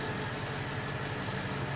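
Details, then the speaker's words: 2002 Mercedes CL500 V8 idling before warm-up and a test drive, after new spark plugs, plug wires and coil packs. An even low idle with a steady beat and no skipped firing: smooth, with no misfire or rough idle. "all right i think we got it she sounds smooth no misfire no rough idle"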